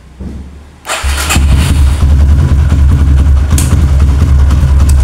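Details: Kawasaki KLX with a new battery, fully charged then charger removed, in a repeated-start test: brief starter whirr, the single fires straight away into an even steady idle; the battery managed 13 starts and is judged normal so far.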